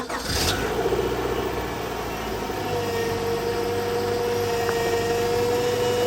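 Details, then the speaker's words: 2000 Honda Prelude in cold weather after power steering fluid change with Bar's Leaks: engine catches and idles, then a steady thin squeal holds; still squeaky. "still pretty squeaky I think you probably hear that"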